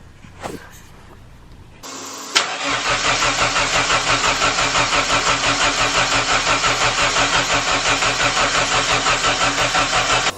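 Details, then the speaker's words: First start of a freshly installed replacement engine after fixing a fuel line fitting leak: it cranks, catches and runs with a pulsing beat, then falters as the fuel pump keeps switching off; the cause is unknown. "right it starts but for some reason my fuel pump keeps turning off so i've not a clue what's going on there so back to the drawing board but at least it started"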